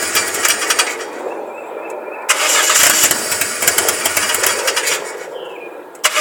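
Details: Saturn SW2 wagon misfiring again despite new plugs, with oil found on the cylinder 2 and 4 plugs: an uneven, stumbling run with irregular popping and skipped beats; the owner suspects the valve cover gasket.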